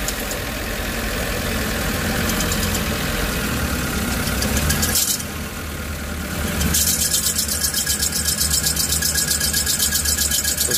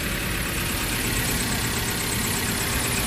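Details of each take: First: Suzuki APV Arena idling with AC on: shrill high squeal swelling as the steering is turned, gone when AC is off. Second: Suzuki APV Arena petrol engine at idle after replacing the worn, damaged fan belt (only 3 of 4 ribs left) and retensioning; the squeal when turning and with AC on is gone, idling smoothly with no chirp.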